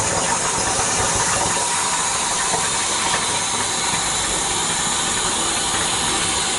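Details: Boiler zone on a new 40-gallon Megastor hot water storage tank replacement, purging air after install: steady even rush of water and air hissing through pipes; expected gurgle while purging air.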